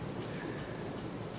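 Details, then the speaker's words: Living room ceiling fan running while being balanced with a weight kit: a light, repeating tick over a low, steady hum, barely improved by the weights. "I can't really tell if it's better or not it might be slightly but it's not good enough to get rid of the other sound that sound that ticking sound I can't live with"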